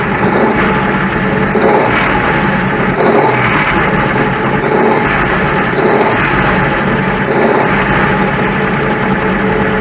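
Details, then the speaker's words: 1941 Ford pickup engine in neutral with the fan belt off and the transmission cover removed: steady, even idle with no knocks or squeals; the racket is gone, so the generator was suspected; normal idle. "Okay, that sounds alright, doesn't it? So that would appear to indicate then that it's something to do with the generator."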